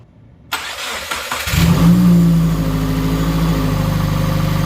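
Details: Subaru WRX 2.0 first start after replacing all valve shims, before cooling system bleed: quick crank, fires at once with short rev flare, then smooth even idle without valve tick; runs healthy.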